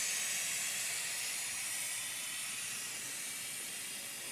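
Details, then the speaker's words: 1978 C3 Corvette with LS1 engine and fabricated Holset HX55 turbo kit, boost leak-down test with shop air at turbo intake, engine off: steady even high hiss; small bubbles at blow-off valve show a boost leak. "you want to check your blow-off valve which also has some small bubbles which means a boost leak"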